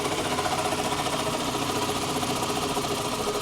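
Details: 2007 Toyota Camry, 265,000 miles, engine bay at idle, hood open: fast light ticking about three to four per second over whirring hum, steady; owner unsure, thinks it's like the alternator — ticking whirring noise at idle.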